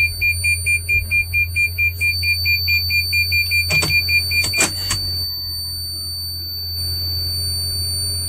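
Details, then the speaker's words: Van started with brake and push button, showing ready: string of quick chime beeps over a thin, steady high-pitched whistle that persists until switched off; source unknown. "i wanted to let you hear this high-pitched whistle sound that comes when i turn it on"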